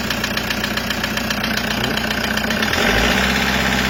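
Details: Toyota Hiace 2KD diesel idling with a steady sharp knock about four per second; found number 3 piston and cylinder liner scratched, fixed by engine overhaul with 0.50 oversize.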